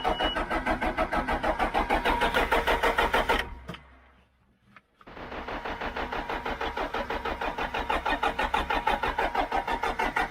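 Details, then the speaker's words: John Deere 310G backhoe diesel after a new computer and a loose relay found: steady cranking about three beats a second, pause, more cranking, white smoke but never catches; air in the fuel lines suspected. "White smoke. Sorry, one time. Man, that sounds like it wants to."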